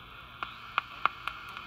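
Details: 1955 Westinghouse H 474T5 clock radio, owner-attempted repair: irregular sharp crackles over faint hiss when a wire is touched, audio fading out; intermittent connection fault in the circuit.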